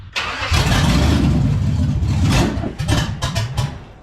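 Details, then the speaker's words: 1948 Dodge pickup with a 5.3 LS swap, fuel-injected, pedal pumped before starting; it cranks, catches and revs, then the idle stumbles and pulses unevenly before settling. Runs but needs tuning. Rough running. "It runs. It just needs a little tunage help."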